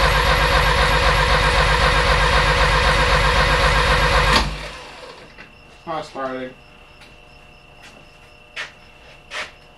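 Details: Porsche 924 with a freshly rebuilt engine, battery terminal getting hot: steady cranking at about four compression beats a second, never firing; owners suspect flywheel or crank timing mark indexed wrong, not confirmed.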